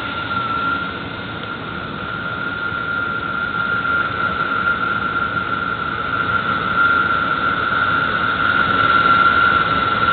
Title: strange noise from my belt area